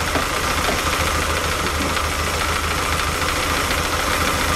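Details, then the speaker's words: Lotus Elan twin carbs, 500 miles after setup, tick-over becoming less smooth, checked with airflow meter: uneven, lumpy idle with a slightly irregular beat under a hissy intake rush; carbs not balanced. "interesting that are not perfectly balanced in each carb and I'm pretty sure they were closer than that before"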